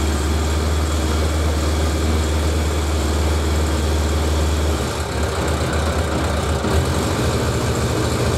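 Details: Suzuki 1100G four-cylinder after removing carbs and mechanically clearing plugged idle jets that caused a misfire from long storage, fuel pump primed: steady, even low rumble at idle, smooth unbroken note, no stumbling; runs cleanly.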